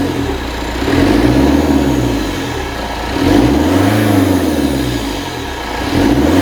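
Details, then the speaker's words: Citroën Berlingo HDi turbo diesel after EGR and turbo cleaner spray, restarted after nearly running away on sucked-in solvent: steady even run with slow rise and fall every couple of seconds, no knocking; normal running. "okay that that sounds okay I don't think she's dead"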